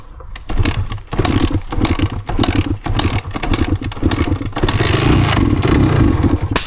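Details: Yamaha DT250MX two-stroke on Essex byways: engine catches and revs in uneven stumbling bursts with dropouts between blips, a rough misfire; plenty of fuel, rider suspects water on the plug, cause not confirmed.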